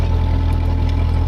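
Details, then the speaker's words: Ford 8N tractor transmission with light oil (somewhat noisier), slightly more gear backlash than wanted and no shims fitted: low steady drone with slight gear hum, no knocks or grinding; sounds good overall. "but it sounds good I I can't really complain it's got light oil in it which makes it a little bit uh noisier"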